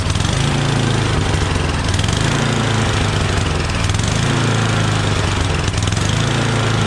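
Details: Yardman 8.5 26-inch dual-stage snowblower, just reassembled and started with starting fluid after spark check; loud steady single-cylinder putter with no misses or knocks, idling and revving cleanly: good idle and throttle response.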